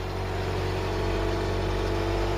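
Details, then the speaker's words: Mk3 Ford Cortina sat in a field since 1983, started after the battery was charged and the points filed: steady even low idle with no misses, knocks or ticks, a normal idle. "it started clock sprung into life the car does not want to die and tell you that much"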